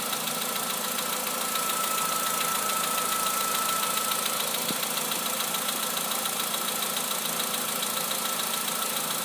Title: Работа двигателя Polo Sedan. Стук поршней.